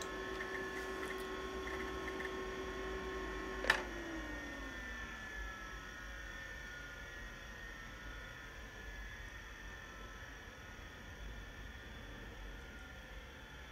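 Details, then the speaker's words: 1987 Apple Macintosh II after soft-power shutdown: faint hard drive whine slowly dropping in pitch, taking a very long time to spin down before stopping. "notice how long the hard drive takes to spin down still spinning down still going still going and still going it's still spinning and it just stopped"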